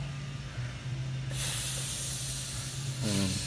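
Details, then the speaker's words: Briggs & Stratton Quantum lawn mower fuel tank with non-original gas cap, pressurized and clamped: steady hiss of trapped pressure escaping as the cap comes off; cap not venting, causing poor fuel draining and running. "i clamped it this tank is holding crusher and it shouldn't be it should be breathing"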